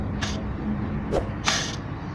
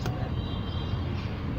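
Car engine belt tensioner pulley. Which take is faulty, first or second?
first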